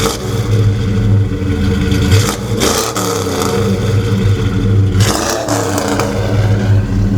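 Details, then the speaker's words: 1972 Chevelle Malibu 383 V8 after fitting Doug's 1 5/8 x 3" headers and Flowmaster 2.5" H-pipe exhaust, on a drive: deep, loud burble with choppy beat swelling as revs climb then dropping back; louder outside and inside, deeper tone, more chop; healthy. "Like from the outside, it's definitely louder, but even on the inside, you can tell. Yeah, and I feel it's got a deeper tone."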